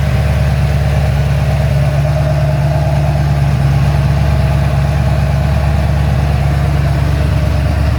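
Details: Ford XC GXL under restoration with a 351 V8, still warming up, with the choke later found too rich: a deep, steady V8 burble with even loping pulses and no knocks or misses. A normal idle.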